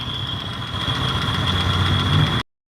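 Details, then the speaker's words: Suzuki Skywave scooter that had total ignition loss, after electrical repair, regulator checked and charging now normal: steady, even idle with a constant faint whistle above the engine note, no misfires or stumbling; normal idle. "mesin hidup norma Berarti sekarang udah nggak akan jahat nggak akan boros aki lagi"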